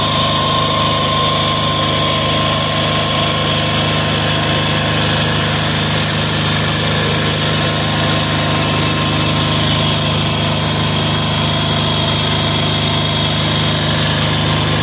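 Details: Amazon 186FA diesel running on about one cup of Road Tech synthetic blend 10W-30 motor oil as fuel, throttle about half: loud, steady clatter at an even idle with no hunting or stumbling; idles normally on the motor oil.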